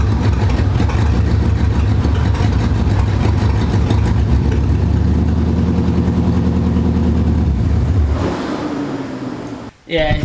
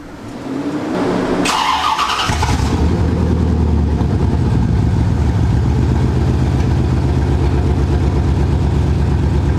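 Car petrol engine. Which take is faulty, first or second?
first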